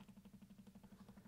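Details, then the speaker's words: Stepper motor driven by an L298N from an Arduino Uno on a 12 V 1.5 A supply: even ticking about twelve per second over a low hum at slow 200-step full steps. This is normal and smooths out at higher speed. "I don't know if you can hear that since it's only 200 steps you can hear a click because its steps are full steps but if you go a little bit faster that smooths out a little bit"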